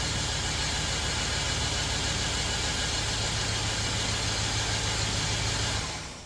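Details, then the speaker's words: $500 LS V8 donor engine for the 1990 Chevrolet Silverado shop truck, cold day in 30s°F, idling after cold start before removal: steady even idle, smooth low rumble, no misses or knocks, then shut off; normal idle. "my LS motor runs cold start. It's really cold today, well, 30s. Sounds great."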